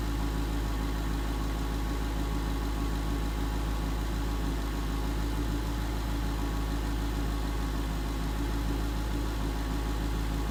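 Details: 2011 Ford Mustang GT 5.0 Coyote V8 with Roush exhaust at first start in an echoey garage, after all eight rod bearings (King CR868SI) and TTY rod bolts were replaced and 5W-30 added: deep, steady idle, even pulses; earlier tick and knock gone.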